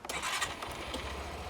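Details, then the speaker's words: New 2025 Suzuki Access 125 TFT scooter, started with noise cancellation off: a short starter whirr, then the engine catches on a single crank and settles into a soft, even idle; the older model's starting trouble is fixed. "இப்போ நான் start பண்ணுறேன். ஒரு தடவை தான் தொட்டேன், ஒரு தடவை தான் crank ஆச்சு, ஸ்கூட்டர் ஸ்டார்ட் ஆயிடுச்சு."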